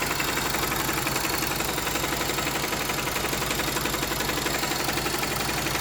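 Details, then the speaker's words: Honda GL Max Neotech engine before teardown, owner complaint of harsh noise from head and clutch area: steady idle with busy clatter over the beat, rough top end; stiff timing chain link and scored rocker arm found. "Nah, itu dia bisa teman-teman dengar sendiri suara mesinnya kasar ya, terutama di bagian head dan bagian kopling."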